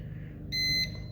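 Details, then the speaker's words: Home backup battery unit during a power outage in Mexico, battery still at 100%: two sharp high beeps about half a second apart, signalling that it has switched to running off the battery bank. "oh you can hear it beeping now so that's just letting us know that it's it's running off the battery bank right now"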